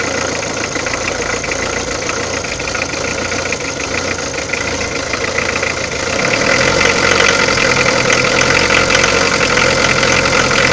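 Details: Peugeot diesel at idle: a fast, uneven rattle over the usual clatter grows louder halfway through, and the source can't be pinned down by ear. Abnormal engine noise.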